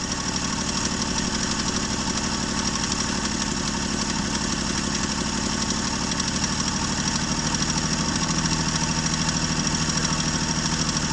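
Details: 1965 Jeep Wagoneer, original 3.8 L 230 cu in overhead-cam six, first run after 20 years sitting, after valve setting and distributor repositioning and once flooding cleared: it settles into a steady, smooth idle with no misses or knocks.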